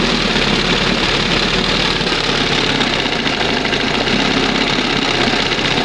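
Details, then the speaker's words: 1971 Johnson 20 hp two-stroke outboard after carburetor mixture and idle stop screw adjustment, throttle at first mark: steady, even buzzing idle with no stumbles or surges; normal idle. "Wow. That's the best right there. Sounds much better. And it's down here, you know, it's idling."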